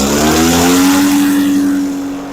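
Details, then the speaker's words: Echo PB413H backpack blower two-stroke with aftermarket Chinese carburetor, tach reading about 2600 rpm idle and 6000 full: winds down cleanly from a high steady scream toward idle, no bogging; likely over-oiled fuel burning off; normal running. "It was about 2600 idle and about 6,000 full."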